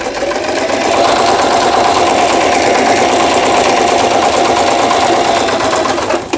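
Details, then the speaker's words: Singer 3221 Simple home sewing machine after repair of shuttle hook timing angle; reverse button and triple zigzag (S1) stitching work normally; fast even whirring chatter, no knocks or catching, then winds down; empty lower-shaft cavity makes it somewhat loud. "후진 버튼 정상 작동되고 있고 작동 스티치들 여기 A를 지나서 S1에 놓으면 3중겹 지그재그 바느질 정상적으로 작동되고"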